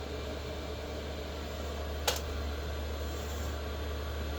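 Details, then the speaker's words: Vevor 5K 12 V diesel heater, test-fired in a trailer, warm and running, white smoke at startup cleared: low steady blower drone with even roar and one soft fuel-pump click near two seconds; normal running. "got the fuel pump out here it's clicking away but uh curious if you can hear the clicking in"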